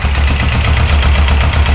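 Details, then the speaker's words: Suzuki GS 500 motorcycle just started on choke, idling slower than the roughly 1250 rpm it should: steady low idle with a light quick ticking clatter, likely valve train noise, possibly timing chain; owner feels it runs fine enough. "the engine is a bit clacky you can see some valve train uh you can hear some valve train noise and maybe maybe even the timing chain but i think"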